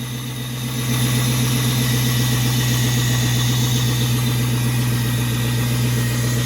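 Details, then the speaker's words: 1979 Pontiac Trans Am LS-swapped V8 with cold air intake, just started: deep, even idle with steady low rumble, no knocks or misses, settling smoothly; healthy normal idle. "awful nice and smooth isn't"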